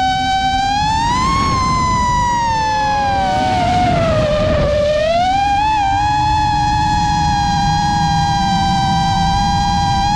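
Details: New-frame quad with new Xing 2207 2450kv motors, 5x4 V1S props, 4S 1500 battery, Bardwell F4 V1 FC, Spedix 30A BLHeli32 ESCs, Betaflight 4.1 with RPM filtering: motor whine sweeps with throttle over a steady shaky roughness; constant in-flight microvibration, cause unknown.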